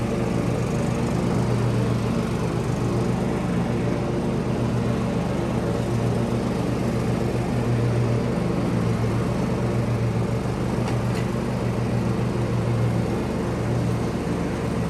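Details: John Deere lawn tractor Kohler single-cylinder after fuel filter change for RPM surging, 5-year-old weak battery: steady drone with even beat, no hunting or rise and fall; normal running.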